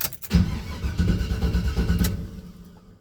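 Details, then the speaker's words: 1978 Chevy C10 with 350 and Turbo 400, not started for a while, fitted with a 4.3 starter: quick, even cranking for about two seconds with no dragging or slowing; starter spins the engine well. "he put a 4.3 starter on this 350 and man it just whizzes the motor it sounds good it's not slow"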